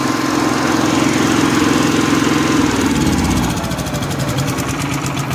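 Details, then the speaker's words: Honda generator/welder after recurring fuel issues, fixed by fitting a fuel tank selector valve in place of solenoid valves: steady even drone holding speed, no misses or surging, then easing slightly; running smoothly. "Let's fire it up. Adam. Sounds good, doesn't it? Come here. She's not scared of the noise, but she's not real happy about it."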